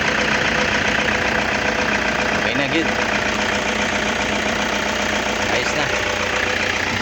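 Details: Toyota HiAce after no-crank fixed by bypassing the starter relay wiring, battery 13.55 V: dense, even idle with steady rhythm, no misses or stumbles; now starting and idling smoothly.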